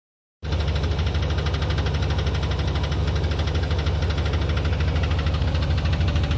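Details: 1990 GMC Sierra at idle, noise first heard today: fairly regular light tick about three per second plus a duller clunk underneath; owner thinks it comes from the starter, not confirmed.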